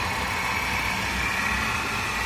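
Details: Mercedes-Benz C280 W204 six-cylinder at idle: loud, constant whirring and hiss in the upper range over a steady run; the engine is noisy from a bad belt tensioner.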